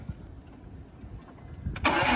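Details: BMW E46 325i after fitting new spark plugs to cure a misfire: a long quiet pause, then the engine cranks and catches cleanly into an even idle with no stumble; normal start and idle.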